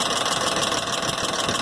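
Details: 2001 Ford Expedition 4x2 at idle after a timing chain replacement: a fast, light tick in time with the engine, first suspected as an exhaust manifold leak. It was actually seven failed hydraulic lash adjusters on the passenger-side head, with the oil passage blocked by oil adapter gasket plastic.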